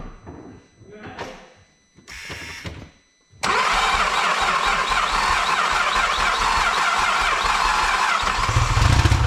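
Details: Vauxhall VXR project, first start after engine install: a few seconds of quiet, then the engine catches and runs slightly uneven; rough running because a turbo pipe was left loose, leaking boost air.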